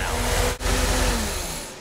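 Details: 350 small-block Chevy V8 after setting initial timing and 36° total advance, vacuum advance reconnected: strong catch and quick rev settling into a deep, even rumble with no misses or knocks; starts and runs cleanly.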